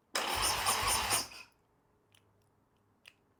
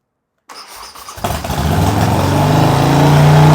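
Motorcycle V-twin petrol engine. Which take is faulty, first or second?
first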